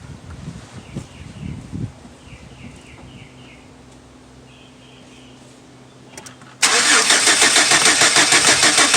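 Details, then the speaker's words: 2006 Chevy Silverado 4.3 hard start: long quiet spell, then loud even cranking about three beats a second that never catches, little puffs with smoke back through the throttle body; fuel pressure holds 50–55, cause not confirmed. "I hear kind of like like a like a like a little puff like poof poof like and then smoke would kind of come up through the throttle body"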